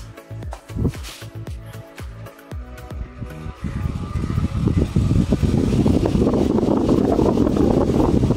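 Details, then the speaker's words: EPC Typhoon 18-inch (450 mm) four-blade industrial fan after servicing and reassembly with guards: a few clunks, then steady even rush of air with no grinding or rumble from the motor; healthy, occasional sounds as bearings settle. "the airflow is very smooth and there is no such sound from the motor."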